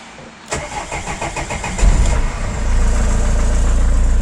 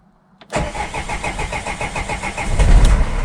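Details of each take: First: Vauxhall Vivaro diesel van, after a temporary fix for a no-start caused by a holed fuel priming bulb and bad fuel line, started out of gear: the starter cranks, catches quickly and settles into a steady, even idle with no stumble. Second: Opel/Vauxhall Vivaro diesel no-start traced to a holed fuel priming bulb; starter whirrs briefly, then the engine catches and settles into a steady clattering idle, confirming fuel starvation from the damaged priming bulb.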